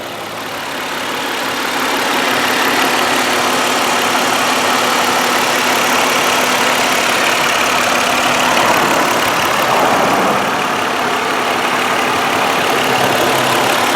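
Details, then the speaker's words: 2005 Mercury Montego Premier AWD, 3.0L V6, idle heard from the engine compartment: a steady, even, smooth hum with no knocks, misses or squeals. It sounds like new, a healthy normal idle. "he you can hear it sounds just like it did when it was brand new"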